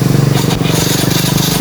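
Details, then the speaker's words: Yamaha Mio i 125 scooter cranking in a fast, even rhythm without firing; engine won't start, traced to a cracked spark plug cap stopping the spark. "Ah meron naman tayong video mga pardy ah Mi I 125 ang customer Ngayon ang problema nito is ayaw mag-start try natin mga party"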